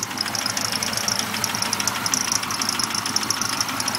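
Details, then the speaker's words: 1998 Pontiac Grand Prix GTP supercharged V6 idling: fast sharp knock over thin bright engine sound, began on drive home; owner suspects rod knock or supercharger, unconfirmed. "Knocking like a son of a gun. I don't know. Maybe it's in the blower."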